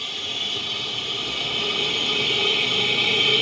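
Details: 2009 Nissan Altima, listened through a Steelman listening tool on the front left wheel while it spins. A smooth, even hiss with a steady tone and no growl; this bearing is normal, and the fault is in the front right bearing.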